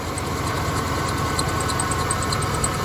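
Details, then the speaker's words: 1988 Ford E150 Econoline van, 4.9L engine, after replacing the rough belt tensioner/idler pulley: steady idle with a faint quick high chirp repeating; squeak much reduced but back, owner suspects a new belt is needed; cause not confirmed. "there's the squeak oh are you telling me it's something else I hear the squeak back guys I wonder if I need a new belt"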